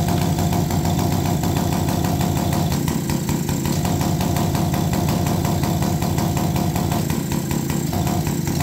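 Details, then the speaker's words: Small single-cylinder engine on an APC mini chopper, freshly fueled with non-ethanol gas after primer-bulb purge, revs unevenly with a fat, burbly, lumpy exhaust note that never cleans up; carburetor mixture running super rich, mixture screw then adjusted. "think we're a little Rich oh my gosh I think we're Super Rich"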